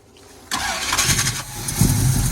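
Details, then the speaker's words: 1981 Cutlass with a 403 V8, first start in 2–3 years, after many problems with the fuel pump not taking in fuel: quiet at first, then it catches and settles into a low, steady burble. Normal start and idle. "Alright, after many problems with the fuel pump not taking in fuel, we got it idling."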